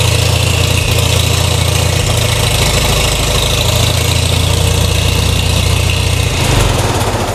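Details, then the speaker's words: Farmall/International Harvester letter series tractor after clutch replacement and reassembly, pedal free play set to about 3/4 inch: steady low idle dips slightly going into gear, clutch takes up smoothly with no grinding or clatter. "You can see that my tractor went into gear and engaged the clutch without any grinding, and it was very smooth."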